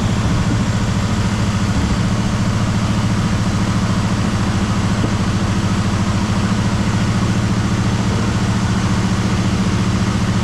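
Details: 1973 Chevrolet Malibu parts car started after years sitting, points checked, fresh gas; deep loping idle popping as cylinders drop out, a cylinder or two still not firing as it warms and cleans up; engine misfire.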